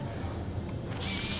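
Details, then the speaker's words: Contax T2 compact film camera, manual rewind button poked: short click then steady high motor whir as film rewinds all the way. Normal film rewind. "it rewinds the thing. But the thing is, this thing rewinds it all the way"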